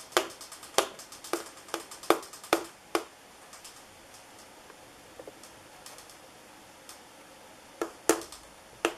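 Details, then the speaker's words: 1980s Moss WF Series 132 cm ceiling fan, made in Hong Kong, on high speed (about 160 rpm estimated): light sharp clicks in uneven clusters over faint fan hum, caused by the textured paint finish. "so one of the annoying things about this uh this sort of textured paint is that when the fan is spinning much faster it makes a little clicking sound because of this this product it will make that little sound that you hear"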